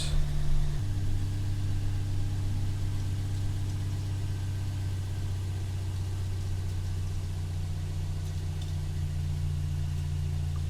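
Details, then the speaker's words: Toyota Yaris one month after a swap to a 1ZZ throttle body, restarted right after the throttle body was cleaned: a brief rev, then a low, even hum holding steady without hunting; the idle is healthy. "it looks like it's holding steady uh oh just have to reconnect"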